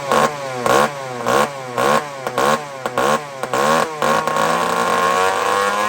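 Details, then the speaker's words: Two-stroke chainsaw during carburettor tuning, fuel looking like straight gas: repeated sharp blips climbing to a thin, very high scream about twice a second; lean over-revving. "friends Listen to How high this thing screams"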